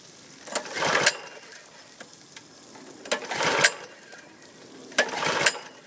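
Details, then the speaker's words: Husqvarna PW3200 pressure washer with a Briggs & Stratton CR950 208cc engine, submerged in Hurricane Ian floodwater, on fresh fuel and choke: three rising recoil pulls with no firing. It would not start because the engine stop switch was left off. "part of the problem is I had the uh switch on the off position and I decided to try the choke on off"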